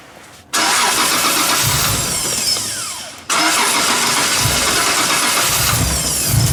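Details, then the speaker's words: 1997 Nissan S14 240SX with a stock long-block VVTi 2JZ, after installing injectors, fuel rail, lines and regulator: fires immediately and runs evenly, shuts off and restarts cleanly, not smoking or running rich. "it's not Smoking Pig Rich that's a good sign"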